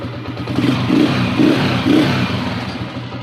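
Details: Honda TMX 155 single-cylinder motorcycle after hard-starting fix with new spark plug; catches on one click and runs with steady throttle blips, no knocking or misfire; normal running.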